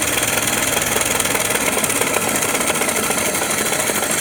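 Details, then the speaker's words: 103-year-old 1915 Ford Model T four-cylinder with four buzz-coil ignition, slowed to idle, possibly on battery before switching to magneto: light, fast, even clatter with no stumbling or misfire; healthy. "Slow the engine down to idle. I think we have the car on battery right now."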